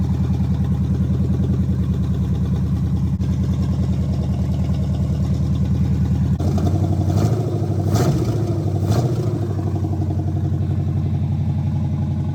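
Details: El Camino V8 after correcting the firing order by swapping plug wires and setting the timing: a deep, steady idle rumble with a couple of brief throttle blips, running evenly with no misfire or stumble. Normal running.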